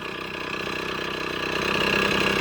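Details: Yamaha GT80 (KE102) two-stroke during a build, with a tach drive and clear oil lines from tank to intake: crisp, even buzzy idle with no misses or knocks, settling smoothly and sounding healthy.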